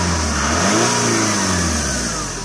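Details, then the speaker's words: Saab 9-5 Vector turbo petrol, just driven back from its MOT: clean rise and fall in engine pitch through a quick blip, no rattles or misfires; engine sounds fine and the turbo chirps up nicely. "sounds fine. The turbo chirps up nicely."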